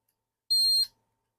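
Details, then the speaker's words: GPX-4500/5000 metal detector, multimeter with microphone on meter testing whether a screw contacts the metal chassis: steady high beep then brief chirp only when screw pushed hard sideways; clearance fit, continuity beep from screw touching chassis. "I push it hard sideways I can get it to be continuity then no continuity okay"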